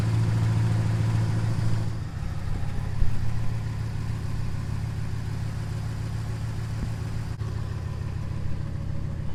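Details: 2015 5.7L HEMI truck started right after a water pump and 180-degree thermostat replacement and coolant refill, to check for leaks before reaching operating temperature: steady, even deep V8 idle, smooth low rumble, no knocks, ticks or squeals; healthy.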